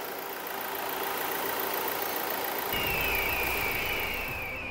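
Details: 2017 Toyota Hilux after an engine replacement (the original seized under 180,000 km, with water traces in the air filter): the new engine idles with an even, steady note and no knocks or misses.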